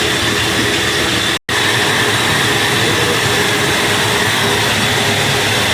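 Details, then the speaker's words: Flour mill (chakki) with the feed opened and pressure applied: steady, even grinding roar with a hiss of stone and grain, slight vibration, no knocks or rattles. Normal grinding under load. "इतना सा तो करेगी दोस्तों, देखो। गाला चालू करते हैं, दाब लगाते हैं पहले। हल्का पूरा वाइब्रेशन तो करेगी।"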